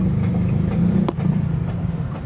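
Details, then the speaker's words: Mitsubishi Xpander/Toyota Avanza at idle, a clunk (lagutok) despite replaced stabilizer links: one sharp clunk over low idle as the wheel is turned, from inside the steering rack and pinion where the steering shaft joins; needs repair. "Narinig niyo mga boss dito talaga lumalabas yung malakas na ingay sa rock and pinyon niya kung saan nakarugtong itong steering shop."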